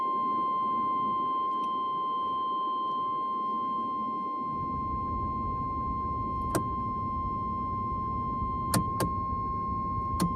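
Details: 1985 Oldsmobile Cutlass: continuous high, steady, single-pitch warning buzzer with the key and lights on; caused by a fuse looped with wire to keep it hot, and fixed by sorting out that fuse.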